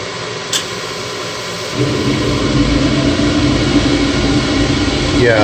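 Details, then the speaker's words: Midco gas burner being hot-wired on a Slant Fin Intrepid steam boiler: fan hum of 30-second pre-purge, then sudden step into loud steady roar with low rumble as flame lights; owner thinks it is way over-fired and expects bouncing soon. "that's over fire i think we'll start bouncing up and down pretty soon"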